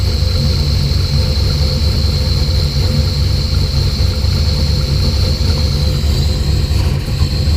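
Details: Heavy, loping idle with an uneven low rumble that surges and stumbles. Spark to coil and distributor was restored by moving the wiring loom. Fuel pressure was 50 after prime and over 60 during prime. The engine sneezes fuel and runs really rich.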